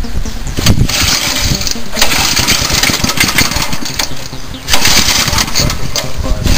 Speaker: got a five horse Briggs and Stratton here it's like brand new runs really good